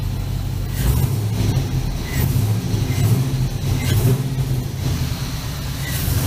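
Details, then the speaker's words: 1965 Chevy C-10 with an LS swap, after the intake manifold gaskets were replaced to cure a P0300 misfire. The V8 blips up cleanly off idle with no stumble. Misfire counts are mostly solved, with only a couple on cylinder 8. "She's sounding much better right now. And listen to this."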